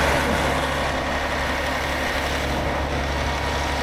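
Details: 2009 Newell coach with Caterpillar diesel, after fuel filter replacement cleared low fuel pressure fault: steady even idle, deep rumble, slightly raised note during active DPF regeneration.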